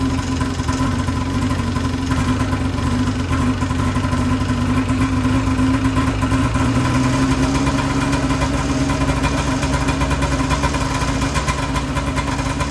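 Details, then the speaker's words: 2008 Ski-Doo Rev two-stroke snowmobile, seller claimed blown up, belt off: fired right up without starting fluid, steady consistent idle on both cylinders, no misses or surging, though fuel smells terrible; normal idle. "so as you guys just saw this thing fired up right away no starting fluid or anything um it seemed to smooth out pretty nicely"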